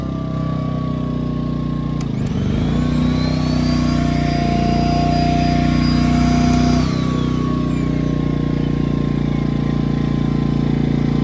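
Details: Ryobi RYi2322 inverter generator with 0.1 hours, after a clogged-carburetor fix, running with eco idle on: even, steady hum settling to lower speed and easing back up as load changes, no misses or knocks; normal eco idle.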